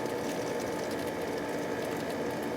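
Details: Pool pump that had been humming without running, after its motor run capacitor (30 µF, 370 V) was replaced: a steady, even motor hum with a faint constant whine. The motor now starts and runs normally.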